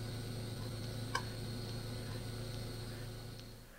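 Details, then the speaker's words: Yamaha fuel-injected vehicle injector test: soft, evenly spaced clicks over a low electrical hum; five good clicks each test cycle mean the fuel injector and its circuit are electrically okay. "if you hear five good clicks every test cycle it's safe to assume the fuel injector and circuit are electrically okay"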